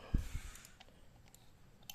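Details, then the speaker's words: Used Ryobi RX-400GL (U-45) spinning reel with metal spool: sharp, crisp click as the bail snaps over, then faint small ticks. Bail spring is firm and springs back well, which is normal. "สปริงแล้วรอแข็งแรงเด้งดีครับเปิดปิดได้ครับเปิดปิด"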